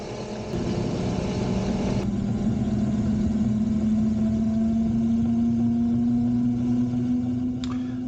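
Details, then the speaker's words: Razor Pocket Mod electric scooter on its stock lead-acid batteries only, after about 20 minutes of riding: a steady hub-motor whine rising gently in pitch, smooth with no grinding or clicks, as it slows and the motors start to struggle under load. "now here it is after riding it for some 20 minutes or so and as you can see it is starting to slow down and you can hear the motors starting to struggle"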